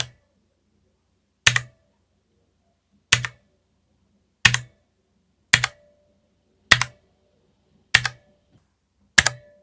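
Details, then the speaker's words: Spigen ArcPlay mechanical gaming keyboard, non-hot-swap switches: single key presses each followed by a short metallic echoing ping, more apparent on left-side keys; cause unclear, owner unsure whether only his unit is affected. "Now, I don't know if it's just my keyboard, but I can hear a strange echoing ping sound from the keycaps. It's more apparent from the keys on the left-hand side of the board."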